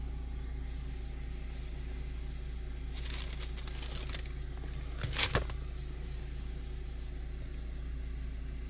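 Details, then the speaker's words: Kenwood Excelon head unit after an added ground wire to cure a buzz: only the engine's even low idle rumble, with no whine or buzz in the audio; normal audio with no alternator buzz. "so far so the buzz sound is gone y'all it's gone i don't hear nothing you guys are genius man"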